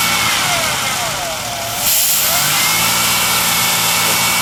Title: Fast idle vacuum leak